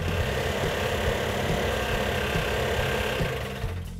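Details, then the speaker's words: Freshly built 340 V8 on first fire-up after sitting about a year, running rough on about six cylinders with an uneven, stumbling rumble; compression test showed low compression, possibly rings stuck on pistons. "we had two problems with our 340 we actually had three problems when we initially fired it off it was running on about six cylinders"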